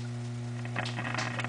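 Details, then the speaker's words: Philco 42-380 radio chassis on a homemade variac through a bulb: loud mains hum with faint crackle. Loud speaker hum. "if I turn the volume control it affects the speaker and I think that this is the output tube because I can make that make the speaker cut out by wiggling that"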